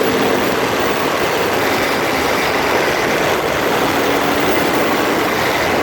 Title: Freelander 2 Grinding noise, phone is taped close to front differential